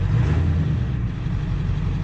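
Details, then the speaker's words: Ford 7.3 diesel work truck at 294,000 miles with Hydra chip and Bully Dog tuners, started after an oil change: oil pressure comes up and it settles into a deep, even idle with no knock or clatter; owner says it always quiets down after an oil change. "two hundred ninety four thousand miles she's just a baby starts right up see oil come on oil pressure there we got who I was taking a minute minute in a day as she sounds good"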